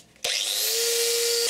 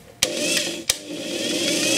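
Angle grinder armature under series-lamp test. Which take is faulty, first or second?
second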